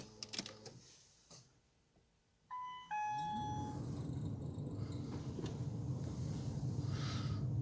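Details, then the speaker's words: 2008 Ford Focus 2 (facelift) heater blower: a steady fan rush with a thin high chirp on top once it starts, from the squeaking blower motor; the fix is to remove and dismantle the motor. "проблема такая посвистывает вентилятор печки так вот включаем"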